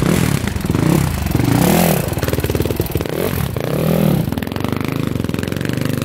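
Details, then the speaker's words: Engine revving up and down with a light ticking clatter over the exhaust; valves, timing chain, tensioner and piston checked fine, so not the top end; owner unsure, suspects the clutch area or possibly a pipe. "It's running good. It does have that little tick to it though. I don't know what that is. Almost sounds like it's coming from the clutch area."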